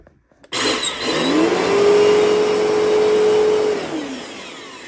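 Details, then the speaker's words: Bissell Powerforce Turbo vacuum after teardown and reassembly: motor spins up to a high whine that wavers and droops before winding down; motor dying, vacuum to be scrapped for parts. "the motor sounds like it is dying. So, I'm afraid that I will Well, I I don't know what I'm going to do. But yeah, this motor is like dying."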